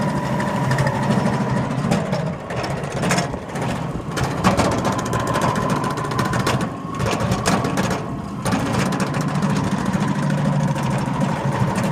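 Busy rattling chatter with a light whine around a low running drone, dipping now and then; belt or bearing wear suspected.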